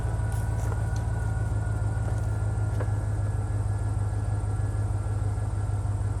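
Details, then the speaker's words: 1949 Ford shoebox after sitting 50 years, HEI distributor, jumper cables and extra grounds, retimed and advanced: slow, labored cranking around three turns a second with a few weak firings, never catching. "as you can hear it's firing it's trying a little bit it's cranking slow still"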